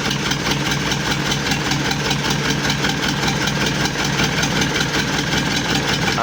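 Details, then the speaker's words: Isuzu Panther turbo diesel, rebuilt after overheating melted a piston and stuck injectors, first start with an electric fan: a diesel clatter at idle with a slightly uneven, lumpy beat and white smoke. Suspected injector setting too fine, not confirmed. "ada asap putih dan agak pincang. Ini bisa jadi dari suaranya terlalu halus dan juga settingannya kurang pas."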